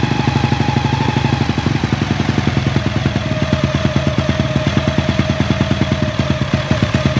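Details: Honda EX5 single-cylinder engine rebuilt with 54 mm block, 102 mm crankshaft and Redleo 4-valve head, CJ Epo exhaust, DY90 frame: crisp, even exhaust pulses at a steady fast idle, no knocks or rattles; runs clean.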